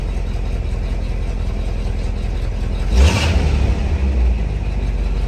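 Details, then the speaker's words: 1983 Chevrolet C10 V8 after an exhaust change that cleared a major blockage: deep even rumble with one quick rev, smooth and quiet exhaust, no rattles; normal start and rev. "Now, any of y'all who know me know that I feel like if you have a V8 in your vehicle, it should sound like a V8, not this."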